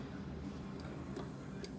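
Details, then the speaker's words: Dryer that won't turn on, pressing start produces nothing: a few light, separate clicks with no motor hum as the start switch and door switch both click normally; normal start switch click. "I hear it clicking, so that might be all right. The other thing I did was check the door switch. And if you can hear that, that's clicking as well."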